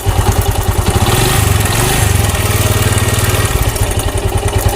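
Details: Bajaj Discover 135 motorcycle idling with a fast, even ticking clatter over the single-cylinder thump; timing chain and valve tappet noise, addressed by replacing the timing chain and adjusting the tappets.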